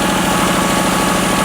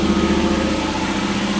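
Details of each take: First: $300 Lexus LS400 running with the cam sensor unplugged: loud, steady, even idle with no misses; runs well only without the cam sensor, and with it connected it won't run, sensor suspected faulty. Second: Lexus LS400, owner thinks 1997, running briefly with no coolant and the cam sensor wire pulled back from the belt: steady, even idle with no misses or stumbles; it runs smoothly, though a further fault remains to be found.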